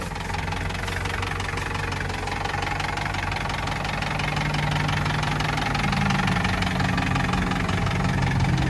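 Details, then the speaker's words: 1948 Willys Jeep CJ-2A, 3-speed in neutral, just started with choke pulled. Slow, chuffing, tractor-like beat at a steady idle, lumpy but even; healthy. "Gonna see if it'll idle. Like I said, sounds like a tractor. Let's do a little walk around while it's idling."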